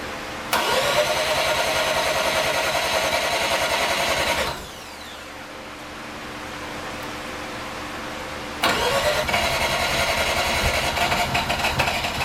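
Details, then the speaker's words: Rotary-swapped Mazda Miata on its first start, racing beat crank pulley and belts fitted, smoky; rotary catches fast with a busy, even buzz, drops to a softer idle and picks back up cleanly, idling on its own. Normal rotary idle. "idling on her own"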